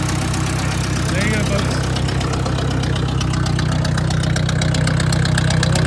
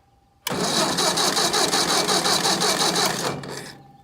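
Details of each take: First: Ford 600 tractor after new ignition coil fitted in the field where it died (points on order): engine fires and holds a steady, even low beat around four per second with no misses; ignition working properly. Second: Ford 600 tractor dead in the field, cranking after new ignition parts were installed and wired, still not starting. About three seconds of steady cranking that never fires: no spark.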